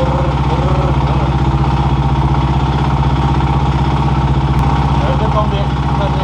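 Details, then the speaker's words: KTM 530 EXC supermoto single-cylinder, first start after piston change, cold: idling about four beats a second with light tapping on each firing pulse; riders note it knocks, maybe as before; slight knock, cause unknown. "kall bra jävlar i helvete knackar den så mycket innan också Ja typ jag tyckte den knackade lite"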